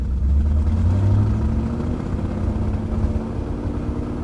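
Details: 1998 BMW 740i (E38) after new fuel pump, 40 psi fuel pressure, O2 sensors removed giving open exhaust: engine climbs and holds revs cleanly without stumble or misfire; normal revving, fuel issue fixed.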